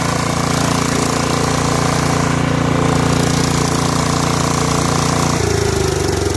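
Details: Snapper SR1433 rear-engine rider mower, sat 8 years, after carburetor rebuild: steady even single-cylinder thump easing lower near the end; normal idle, quiet and smooth.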